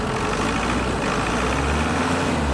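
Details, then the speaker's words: Ford Everest diesel after oil change and sensor and MAF cleaning: idle now steady and even with a smooth low rumble, no misses or knocks; no misfire codes read. "Tapos start ko ulit yan oh ' ba good na good na siya"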